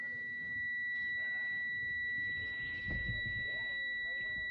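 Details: 10-speed Freightliner during a California CDL air brake mock test: a steady, unbroken high tone holds throughout. The low air pressure warning buzzer sounds as it should with pressure down.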